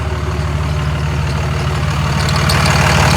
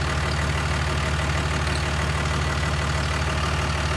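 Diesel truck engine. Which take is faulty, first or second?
first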